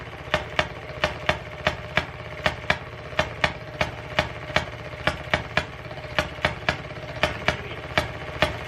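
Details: 1920s Maytag two-stroke washing-machine engine, said to be rebuilt, sat 5+ years, starting after the points were cleaned: sharp crisp pops at first fire every revolution, then flip to hit-and-miss with uneven gaps. Normal hit-and-miss running.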